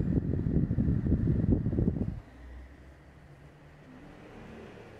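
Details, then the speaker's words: Portable LG air conditioner, fan-only mode at F2 (medium) speed, measured about 46 dB (vs 38–40 dB switched off): after a loud rumble fades, soft even airflow hum with no rattle or tick; normal fan running. "E aí e olhem F2 galera a gente ficou ali na faixa dos quarenta e seis também"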